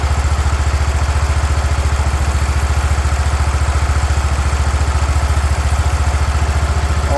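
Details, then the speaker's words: 36-year-old Toro Wheel Horse 416-8 garden tractor after fixing a leaking fuel line: deep, even thumping idle with steady beat, no misses, knocks or surging; sounds pretty good, normal idle. "I think we got it. There we go, sounds pretty good. So there you go, we got a running and working wheel horse"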